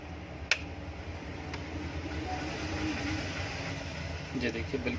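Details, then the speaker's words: Kitchen/bathroom exhaust fan motor after replacing both old 6201 bearings with new bearings, final test with back cover on: smooth even low hum, no bearing rattle, rumble or grinding; rotates correctly, normal running. "देखिए बिल्कुल सही घूम रही है, शॉर्ट भी इसकी ओके है। चलिए फ्रेंड्स, ये हमारी मोटर बिल्कुल सेट हो चुकी है।"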